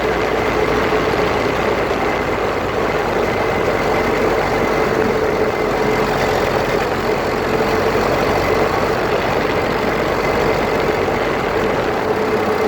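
A constant gritty rumble with a faint steady tone stays level through the drive; it sounds like grinding from the front differential. Cause suspected, not confirmed.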